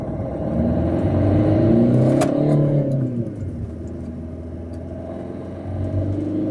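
Engine revs up and falls back with a sweeping, wavering tone and rough rumble underneath, consistent with a turbo on its way out.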